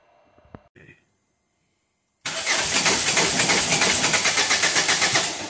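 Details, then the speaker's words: 2011 Ford Fiesta 1.6 TDCi diesel with code P0336, crank sensor range/performance: the starter cranks steadily but the engine never fires. An oscilloscope showed an extra flat spot on the crank pulley's pickup ring, which looked fine by eye; crank no-start. "this is a 2011 fiesta with a 1.6 diesel engine the car will crank and it won't start i've got p0336 crankshaft position sensor a circuit range performance the car's making no attempt to start but i'll crank okay"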